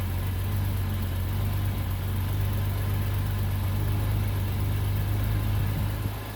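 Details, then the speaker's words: Bitter SC (SC 377), Bosch L-Jetronic, with the coolant temperature sensor plug pulled (infinite resistance) as a test. Deep, uneven idle with a lumpy, wandering beat and no steady rhythm: rough running. "now I'm gonna pull the plug again and I want to see if the car does or does not start with infinite resistance but it's running rough"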